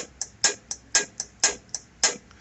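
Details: Baler hydraulic block solenoid valve being energized, with no sparking: crisp, sharp clicks about twice a second, alternating loud and soft, in a quiet background. The valve is switching normally.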